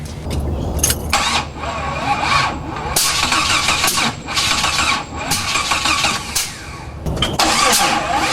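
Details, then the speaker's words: Jeep with a new wiring harness and new spark plugs, the distributor rotor turned 180 degrees, and an MSD box wired straight to battery positive: quick uneven starter churning in bursts with a changed cranking rhythm. It finally has spark. "That's a lot different than it ever did, that's for sure. Okay, so we got spark finally,"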